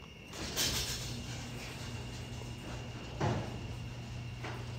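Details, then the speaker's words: Genie ProMax 1/3 HP chain-drive garage door opener closing the door: steady low motor hum with chain running evenly, a couple of light clunks at start and stop; closes smoothly. "pretty smooth actually"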